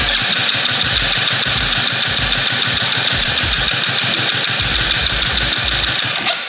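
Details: 125cc fuel-injected turbo go-kart (drift kart), start attempt with fuel pump primed: steady fast starter churning with low pulses about three a second that never catch; cranks but won't start, ignition trigger offset/timing being adjusted.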